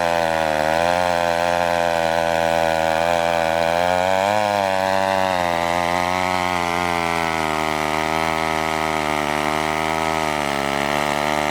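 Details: McCulloch 1-42 two-stroke chainsaw, restored project saw, cutting wood: steady, crisp buzz sags slightly and recovers as it bites; running strong and healthy under load.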